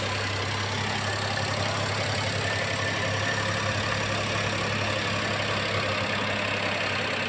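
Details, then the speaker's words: Daihatsu Great Xenia 1000cc after radiator replacement and coolant refill, idling with AC on to run the radiator fan: even steady idle with constant fan rush, no knocks or surging, no temperature warning. "Dan terakhir coba kita hidupkan kipasnya dengan menghidupkan AC."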